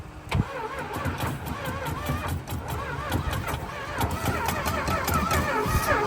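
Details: 1970s Plymouth Trailduster 360 V8, sitting about 20 years, electric fuel pump fitted and fuel line primed with lighter fluid: starter turns unevenly, about two to three beats a second, brief firing attempts that never catch; cranks but won't start.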